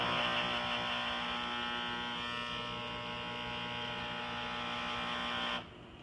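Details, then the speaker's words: Harman XXV pellet stove: loud steady electric buzz with a bright many-toned whine each time the auger runs, day and night, then an abrupt cutoff; not the usual squeal. "anytime the auger goes off so wakes you up at night can't sleep"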